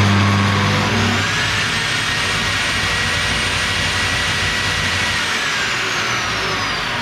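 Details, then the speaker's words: Bosch GTS 635-216 table saw at switch-on: steady high whine over a coarse low rumble, with heavy vibration at startup that visibly moves a wrench on the table; cause not yet found, blade swap planned as a test. "alors je rallume une deuxième fois faites bien attention début vous entendez une grosse vibrations"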